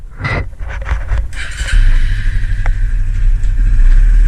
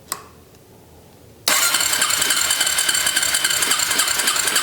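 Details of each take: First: Suzuki LTZ250 Sport quad, carburetted single: after some handling clatter it fires and settles into an even, low thumping run with no odd knocks; runs good. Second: Suzuki LTZ250 Sport quad, carburetted, key on and fuel on: about eight seconds of fast, steady cranking that never catches; won't start because the choke cable wasn't hooked up.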